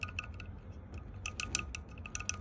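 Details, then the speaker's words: Toyota Land Cruiser LC200 AC blower: quick, light tinny ticks and rattles in uneven bursts over a low hum from a loose plastic part with play. Fix is pushing the silver pin down onto it. "hear that one? This one is loose."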